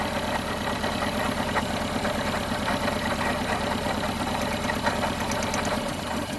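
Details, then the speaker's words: 1974 Honda Civic MK1 with a rough-running misfire, power balance test at idle: with this cylinder's spark lead pulled, the idle sags, stumbles and nearly dies. That shows this cylinder works strongly, unlike cylinder 2. "Whoa, whoa, whoa. See that? That is a big difference. That one is working really, really hard and it's working very well."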